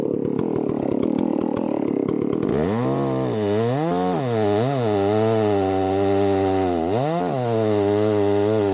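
Two-stroke buzz catches from a cold start, then revs cleanly up and down and holds strong under cut; a healthy, crisp-running saw.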